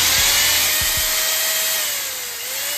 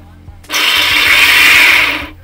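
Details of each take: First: Bosch mixer grinder after repair of seized armature bearing that caused loud noise, reassembled and run: smooth steady whine holding one pitch with one brief dip, no rumble or grinding; runs free, noise gone. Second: Bosch mixer grinder: harsh, loud, high rushing whine for about a second and a half as the motor spins up and strains; worn upper armature bearing, armature binding and overheating, tripping the overload button.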